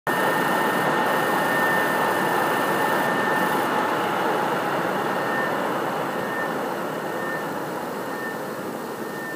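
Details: PS4 CUH-1216A (C-chassis) running Witcher 3 digital, horizontal on media center 15 cm from back wall, peak about 63 dB: loud constant airy fan rush with faint thin whistle, easing slightly; still noisy.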